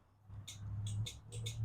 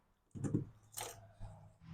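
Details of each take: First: Toro Z Master zero-turn mower, battery voltage tested fine: turning the key gives only light, sharp fuel solenoid clicks, engine never cranks; ignition switch suspected, about to be tested. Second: Toro Z Master zero-turn mower just after its faulty ignition switch was replaced: a few short cranking bursts, then the engine catches and settles into a steady, even run that builds smoothly. Normal start and run.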